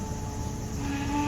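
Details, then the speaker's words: 2013 Lincoln MKX right after engine replacement, first start: even idle rumble under a thin wavering whine rising briefly, power steering pump noise from foamy fluid expected to go away; no misfire. "noise is just a power steering it's gonna go away when uh the foam gets the oil so let's go see how the car is running"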